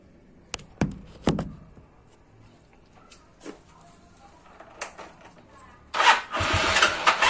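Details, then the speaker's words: Yamaha Mio Sol carburetor after replacing the needle and setting the float; it had flooded, stumbled at low rpm and needed throttle to start. A few clicks, then it starts without throttle and settles into an even idle. "Oke, sudah langsam ya, tanpa digas langsung hidup. Sebelumnya tidak seperti ini ya."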